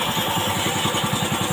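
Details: Old carbureted Honda Beat scooter, after fixing the electric starter that struggled to start it: steady putter of roughly seven even beats a second, no stumbles or knocks. Healthy idle.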